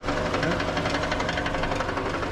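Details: 2018 Toyota Camry 2AR-FE with automatic transmission at idle: sharp, rapid clacking knock keeping pace with the engine, coming from between engine and transmission and stopping under load. The flexplate is cracked completely around its bolts.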